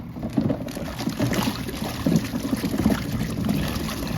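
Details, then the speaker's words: Costway Giantex portable washing machine agitating on a 6-minute wash: sloshing water with irregular dull knocks. The clunking is the loose lint filter banging around. "See if I can get it out of there. That clunking is the filter."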